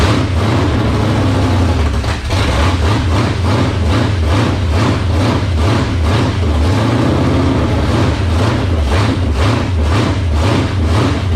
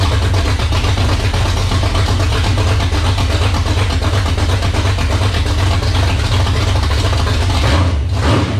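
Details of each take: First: 1978 Dodge D-series Warlock truck, 360 small-block stroker V8, first start in truck, cold, no choke, previously dyno-run: deep loping lumpy idle sitting too low; idle to be turned up. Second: First start of a 360 small-block stroker in a 1978 Dodge Warlock truck: strong, steady V8 rumble with crisp, even throttle response and no stumble. Healthy, 75 psi oil pressure at idle (high-volume oil pump) and a little over 80 when revving.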